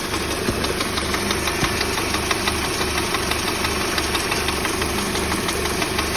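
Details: Peugeot 308 engine idling with a loud, regular knock from under the bonnet at steady speed; cause found to be the alternator belt.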